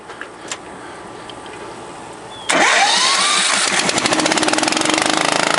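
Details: 2001 Ford F450 with a cast-iron twin-cylinder air compressor pump: it cranks and catches, then settles into a steady pulsing beat of about four a second with air hiss. Normal running.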